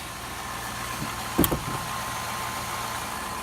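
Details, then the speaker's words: Donor Silverado 4.8 V8 (LS), about 400–425k km, sat all summer, idles low and steady with no knocks or ticks, one brief handling bump; quiet, healthy engine headed for a 1983 S10 swap. "see yeah that's not working but it's quiet sounds good for like I did get the - work once and there's like 400 and some 1000 K on it"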